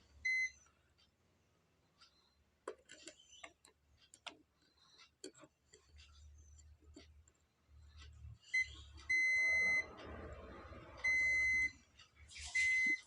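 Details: Continuity test on an ACCL (automatic generator changeover) board: short bursts of steady high meter beep about a second apart while probing a coil; the beep is expected continuity through the coil, not a fault.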